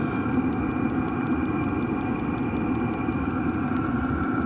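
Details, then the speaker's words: 8kW Chinese diesel heater installed in a static caravan, heard from outside while running and heating; steady soft exhaust rush with light regular fuel pump ticking over it, even and healthy. "this is what heat sounds like from the outside"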